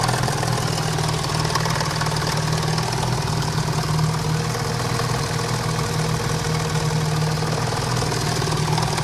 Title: BoB Cosworth engine knocking